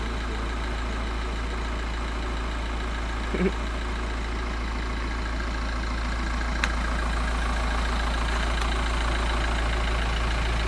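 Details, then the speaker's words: Skoda Superb Mk1 2.5 TDI V6 diesel, sat since March 2020 with a burst boost hose, idling: quick rhythmic puffing tick of about 200 a minute over a low rumble. At first thought an EGR leak, it is a leaking repair at the back. Exhaust leak. "Yeah, here they have an EGR leak at the back here, mate, yeah? There's a bit of an EGR leak, yeah? Actually, it's not an EGR at all, it's a fucking rock repair that's leaking."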